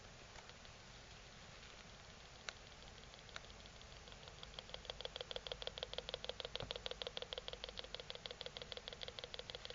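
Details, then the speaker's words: Dick Smith XG4182 digital photo frame on a 12 V supply reading about 12 V: fast even ticking from the speaker, about five or six pulses a second, growing louder; internal power supply suspected of repeatedly starting and shutting down. "right I've switched it on and uh when I turn it on what I can hear and I'm not sure if the microphone will pick this up uh is a rapid pulsing noise coming out of the"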